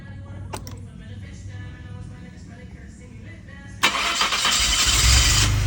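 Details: Maserati with a cranks-no-start fault, after a broken, corroded shielded pickup wire was bridged with a jumper: quiet cranking for a few seconds, then it catches abruptly and settles into a steady, rising run; engine now starts.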